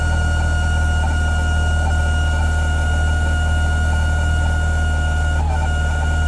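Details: Aeromotive 340 electric fuel pump on a return fuel system making odd noise: steady high whine over deep idle rumble with faint irregular ticking.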